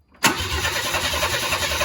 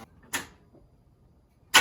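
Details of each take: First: 1994 Chevy C1500 Vortec, first start attempt after starter fix: starter catches sharply, then steady chugging crank near four beats a second with no firing; cranks but won't start, owners suspect no fuel. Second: 1994 Chevy C1500 Vortec, first start attempt after fixing a starter kill-switch problem: about four seconds of strong, even cranking at a steady beat with no firing; turns over but does not catch, fuel supply in doubt.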